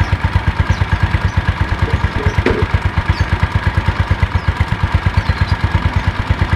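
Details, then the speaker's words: 2007 Yamaha Mio Sporty scooter after repair of rough CVT noise at idle and under throttle, caused by the kick starter pin rubbing the pulley shaft: a steady, even putter about three pulses a second with no scraping. The finding is normal idle. "harus ya teman-teman, tidak ada suara kasar."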